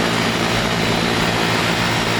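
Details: R22 outdoor condenser, no-cooling call (compressor had run but fan wasn't spinning), 89°F day, after the thermostat time delay: steady even roar of fan and compressor, no knocking or rattling; condenser running normally.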